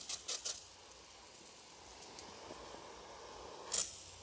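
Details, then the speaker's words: Ronseal Precision Finish Fence Sprayer, pump-pressurised, spitting uneven bursts of hiss instead of steady spray; splattering means paint level low and tank needs topping up. "So I've just been spraying and I've noticed the sprayer started to splatter like this. And what that means is,"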